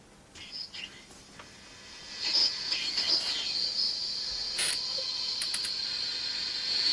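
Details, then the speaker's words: Soviet 1978 Vega 404 AM transistor radio, after repairing a cutting-out connector: thin, hissy sound with a steady high whistle and hardly any low end; the audio section still plays weak and noisy. "this sound part is not brilliant"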